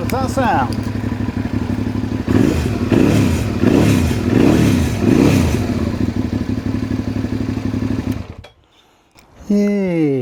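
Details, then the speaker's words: 2003 Suzuki SV650 twin after a new fuel pump and cleaned fuel injectors: settles into a steady, even beat for several seconds without stumbling or cutting out, then shut off; normal running, sounds a bit better. "sounds a bit better."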